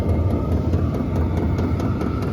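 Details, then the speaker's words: HCalory compact tool box 2 diesel heater, first startup on Bluetti AC180, cold day; H4 setting warming up, pump ticking faster (about five a second) over steady burner and fan roar, some smoke smell; normal running at high setting. "And H4 started warming up now. Pump's going faster. Now it's at 22, and yeah, you can smell the smoke too."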